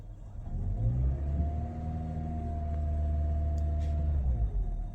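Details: Hybrid car with the throttle floored: the engine climbs to a steady held drone and goes no higher, with no roar like a conventional car. Normal behaviour for this hybrid.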